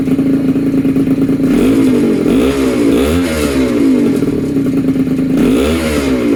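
Buzzy two-stroke note rises and falls cleanly through several blips of the throttle, with no rattles breaking the rhythm.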